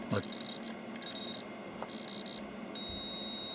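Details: Pole Position arcade video PCB under repair, logic probe on an IC pin: repeated high-pitched beep bursts about half a second long, then a steady tone. This shows pulse activity on that pin.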